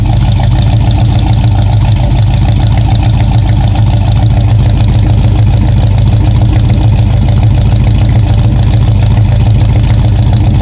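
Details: 1966 Ford Fairlane GTA after fitting a new starter, replacing the wrong one that hit the new flywheel: strong, steady low idle with even loping beat for ten seconds, no grinding or ticking; normal idle.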